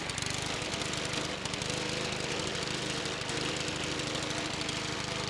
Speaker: you hear it kind of surging feels like it's going to die it's suring it almost died a second ago now it's like surging and kicking sideways